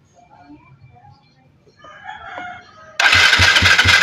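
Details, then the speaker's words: Yamaha Mio Sporty that won't start, cranking steadily with the spark plug out and no firing. There is no spark, traced to a broken pulser wire feeding the CDI. "Ayan walang kuryente. So ang problema nito is kuryente."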